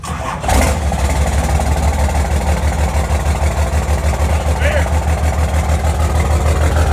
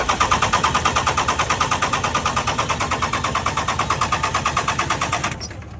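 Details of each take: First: First-gen Cummins diesel truck, first start in about 2.5–3 months after cold-weather sitting, air-locked fuel bled, fuel leak noted: even steady idle with firm low rumble about three beats a second, settling smoothly. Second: First-gen 12-valve Cummins diesel truck, sat outside in winter cold; injector lines cracked to bleed air, steady cranking at about three even compression beats a second, never fires. No-start from air-locked fuel system, cylinders not getting fuel.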